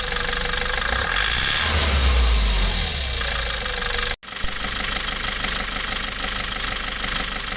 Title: Nissan Urvan Estate E25 Injection Timing FB P7 problem (knocking sounds)